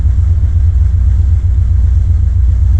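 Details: 1979 Corvette L82 V8 in neutral, smoke test found no vacuum leak: deep idle lurching and wavering unevenly, stumbling, best it has idled; rough idle, cause unknown.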